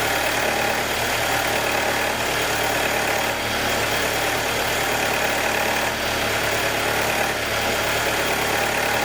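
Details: 2021 Jeep Wrangler 2.0 petrol at cold start idle: fast, light ticking under an even hissy hum for about 90 seconds on every cold start, until the cold air intake takes a deep breath and the engine goes normal.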